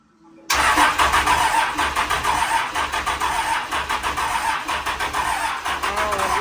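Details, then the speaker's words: Grumman van with 12-valve Cummins diesel: sluggish, uneven cranking at roughly four compression beats a second until it catches and chugs; low starter voltage from a loose battery terminal, sounding better once the batteries are fully connected. "I was actually getting ready to let off the key and it started chugging so it sounds a lot better whenever the batteries are hooked up 100%"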